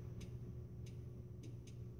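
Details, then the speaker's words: K40 laser with power supply dead after two weeks (about 5 hours use, never run past 6 mA), power meter turned fully up, test switch pressed: five sharp sparse clicks over steady fan hum, no laser firing; power supply suspected faulty. "I'm doing another test on the laser on the power supply type that power to the back but the power meter turned up you can see that here our meters turned all the way up laser switches on to switch up fire up the Machine I think at home okay I got power and I'll hit the test switch here you can hear clicking"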